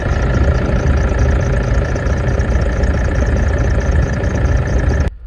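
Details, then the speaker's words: Toyota Hilux diesel at idle after refitting both belt tensioner pulleys; faint steady high squeak over low rumble, quieter than before, upper pulley still suspected; faint belt pulley squeak at idle. "So we're going to start it up and see if it will squeak. So fire it up. There's a little bit of a squeak there."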